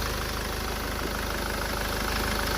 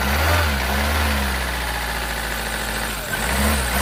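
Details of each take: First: SsangYong Musso diesel after engine rebuild, running with the exhaust not yet tightened, after the failed number two injector was replaced: a steady, even idle with a smooth, regular beat and no misfire. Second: SsangYong Musso diesel, first start after engine rebuild, fuel system possibly still airing: it catches, revs, then settles into a lumpy idle with an uneven beat of about four per second. Misfire detected from a failed number two injector, later replaced.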